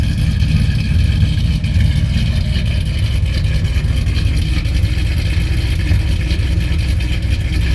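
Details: Whipple-supercharged, cammed Ram 1500 Hemi V8 with a newly installed MBRP stainless cat-back exhaust, repeatedly revved: deep loud throaty even rumble with no rattles or buzzing; exhaust solid.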